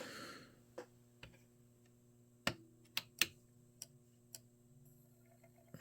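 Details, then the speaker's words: PlayStation 1 model 1001 reading a disc: sharp isolated clicks every half second to second over a quiet hum as the drive struggles; owner unsure whether capacitors or laser adjustment, performing laser alignment. "did you hear that click click see that's not that's not good so I said this thing's always had a bit of an issue"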